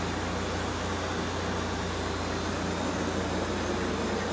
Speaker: okay now compressor has settled and now you can really hear this nicely the 18k rotary when it first starts off it kind of sounds like a rotary